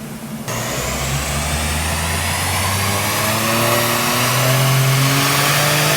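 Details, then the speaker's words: Subaru Levorg, built H6 engine, Haltech ECU, full-throttle dyno pull; pitch climbs steadily then briefly stumbles midway before rising on; boost control cutting after overboost, not pedalling, still heading for about 400 kW. "were you pedaling that no it's the boost control oh really we're going to make 400 KW anyway"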